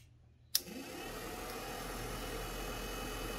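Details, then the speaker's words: 1966 Plymouth Fury III heater/AC blower motor, powered directly from the battery with a test wire: a click, then a steady, even whir with no scraping or rattle; the fan motor itself works normally. "so that's a good sign if your at least know your fan is working"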